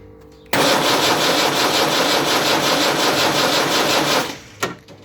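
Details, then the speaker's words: Land Rover Series 3 diesel, first start attempt, injectors loosened for bleeding: steady starter churn with even compression beats about four seconds, never catches; no fuel delivery to injectors, one giving nothing after bleeding. "not a lot at all i've bled it up to the up to there yet again i can't get anything out of that one"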